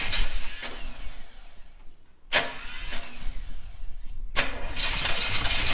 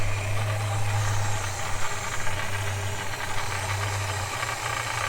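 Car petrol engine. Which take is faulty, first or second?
second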